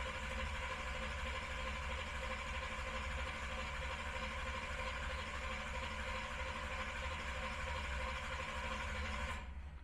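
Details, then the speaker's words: Camaro with new Killshot II EFI, initial start-up: fuel pump not hooked up, pulse width 17, IAC at maximum parked, no TPS. Steady starter drone about three beats a second that never catches: cranks, no start, no fuel. "the pulse width is 17 but there's no fuel in there it's not really going to do anything um because the pump isn't going to come on"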